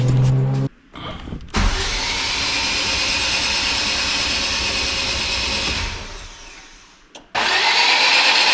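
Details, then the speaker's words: Civic Type R AWD build, new engine first priming crank with spark plugs out and injectors/fuel pumps disconnected, building oil pressure to 45 psi; fast, even whirr without compression pulses, slowing as the battery fades: normal cranking. "Spark plugs are still out, injector or fuel pumps are disconnected. I just want to build oil pressure and make sure we ain't got leaks."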